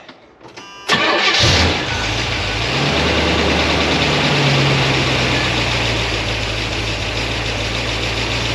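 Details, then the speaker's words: 1976 Corvette Stingray 5.7 V8, bored .060 over, cold start after freeing binding roller rocker trunnions, lubricating them and setting valve lash: catches at once into a steady fast cold idle with only light ticking, less clacking than before. "start I'm going to let it warm up there's a little bit of clacking but not as much as there was before"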